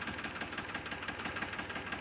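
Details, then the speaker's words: Tractor diesel engine at idle running rough and uneven with dropouts in the firing rhythm, running on two cylinders, which hurts diesel mileage; injector nozzle pipe found fitted wrong; diesel misfire, uneven running. "अब मैं tractor को start किया है अभी आप देख सकते हैं कि ट्रैक्टर दुआ भी दे रहा है और कि इसका जो सूंड है 210 लेंथ रहा है"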